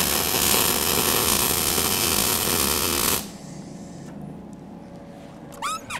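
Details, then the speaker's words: Eastwood MIG 175 welder, beginner laying a bead holding constant torch angle and distance; steady, even frying crackle for about three seconds then clean cutoff: normal, well-set MIG welding bead. "everybody wants to look at their weld as soon as they're done that's a common mistake it looks great thanks very very good very cool"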